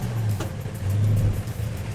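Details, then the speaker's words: 1970 Plymouth Road Runner 440-6 four-speed, start after restoration. Deep, full V8 rumble holds a steady, even beat with light throttle blips, no miss or knock; runs like new, maybe peppier. "car runs and drives like it should like a new car maybe a little bit better a little bit peppier sounds good feels good"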